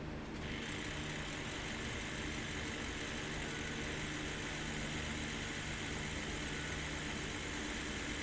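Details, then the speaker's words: Ford 6.0 Powerstroke diesel just started after a new injector was installed and rail bolts torqued to 144 inch-pounds, intake still off; oil pressure up, steady even idle rumble without misfire or knock, running smooth: normal idle. "what's that like um i'm so [ __ ] happy i must have did something right we have oil pressure chicken bolster up so that's all plugged in running smooth"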